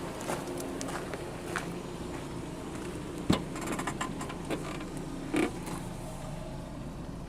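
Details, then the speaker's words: Back-lot car with a 2.4 L four-cylinder idling with the air conditioning running; quiet, even idle hum with a few stray clicks and no knocks; doesn't sound too bad. "I think this is a 2.4. Yeah, 2.4 liter. Doesn't sound too bad."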